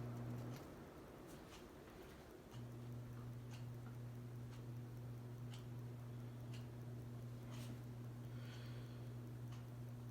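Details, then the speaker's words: Noma Aspen (SMC Scandinavian) ceiling fan with LED light, new install: quiet motor hum with faint, irregular light ticks about three a second; ticking noise from the fan, owner suspects bearings. "Oh I'm not sure if you people can hear the bearing noise that's coming from it"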